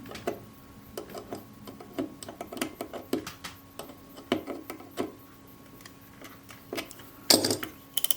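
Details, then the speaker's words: Kodak Retina I type 013 (1949–51) 35mm folding camera during servicing, after tightening the spring-loaded lever that holds the ratchet teeth: crisp separate clicks as the film advance winder turns, pawl catching each tooth; normal ratchet. "That's better. You can hear that ratchet sound."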